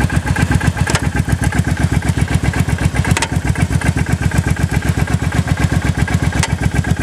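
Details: Motorcycle idling with a regular thumping beat around four per second and a few sharp clunking knocks on top; source unknown.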